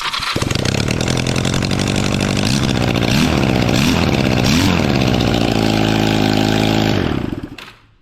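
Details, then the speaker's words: Honda Rebel engine swapped into a dual-rear-tire mini bike frame, first start after fabrication and basic wiring; starts first crank into uneven, raspy idle with chirping puffs, owner says something is wrong on the exhaust; exhaust noise at start-up. "I've got something screwed up on the exhaust. You'll hear that in a second."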